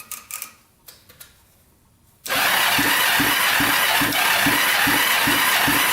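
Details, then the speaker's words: 1980s Kawasaki Mule 450cc twin after a top-end rebuild with valves re-gapped, during a compression test while cranking: even beat at nearly four pulses a second; about 90 psi on this cylinder before ring seating; good compression while cranking. "valves so we're right at 90 it looks like so that's really good um and that's without the ring seating so we'll be over a hundred once we get this thing started out"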